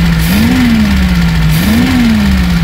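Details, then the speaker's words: Reliant Supervan after carburettor cleaning, with the fuel pump swapped and its pipe moved to the correct port. The engine idles smoothly, slightly high, and revs cleanly twice without stumbling, so it idles and revs well. "As you can see there, it's ticking over nice."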